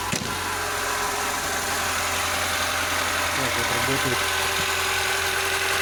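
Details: VAZ 2107 (21074) fuel-injected, about 36–37 thousand km, valve clearance check with feeler gauge: catches straight away on the starter, then settles into a steady, even idle with no obvious valve ticking.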